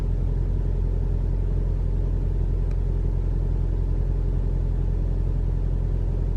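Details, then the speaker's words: 2021 Toyota RAV4 Prime SE in hybrid mode at 57°F with the AC switched on: a low, even engine rumble with no honking or tonal heat pump drone; the engine runs normally. "Yeah, it's cold, but I don't hear anything. All I hear is the engine."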